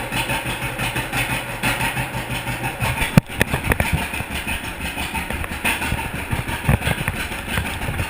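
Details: 1942 John Deere Unstyled A twin-cylinder, previously stuck engine, first start after conversion and new spark plug wires: a sharp catch, then a slow, lumpy putt-putt settling into a steady beat; normal idle.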